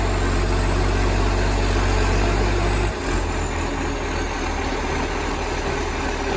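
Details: Moreland garbage truck #FN11487, a spare 22m flat-faced Acco-cab diesel with a massive exhaust leak, recorded from the exhaust side at idle: unusually loud, raw roar and hiss over the low rumble.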